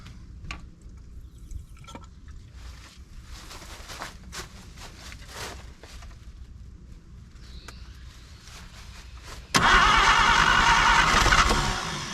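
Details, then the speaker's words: 1950 Chevrolet Styleline started for the first time after being parked about 7–9 years: quiet clicks, then the engine catches abruptly and runs strong for a couple of seconds before dropping back; it starts and runs. "yes let's go come on baby Browner let's go wow that sounds perfect awesome"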